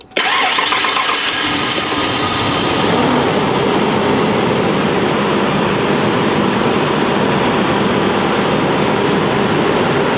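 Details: 1992 first-gen Ford Explorer after fuel pump replacement, first run on gasoline since 1998: catches almost instantly on cranking and settles into a steady, even run with no misses or knocks; normal start and idle.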